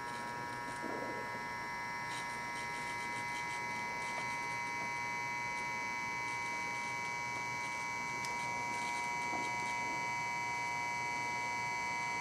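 Steady high electrical whine with several fixed tones and a faint hum, unchanging throughout; a buzzing LED bulb or its driver. Cause suspected, not confirmed.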